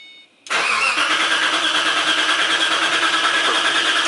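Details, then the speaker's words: 2005–06 Ford GT after an oil and filter change, throttle floored so it won't start, cranked to prime oil through the empty filter before starting: even starter cranking, about three turns a second, no firing; normal starter cranking. "They want you to use the starter motor to pump oil through before you actually start the engine up."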